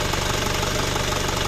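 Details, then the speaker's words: Isuzu Panther Kapsul diesel, rebuilt engine with previous ticking noise, after refitting the large timing idler gear, tested using a borrowed injection pump: steady even idle, usual light clatter, ticking gone; healthy. "pakai bospom saya Om suaranya halus fix dari bospom walaupun mesin ginjal ginjal tapi untuk suara ketek-keteknya nggak ada"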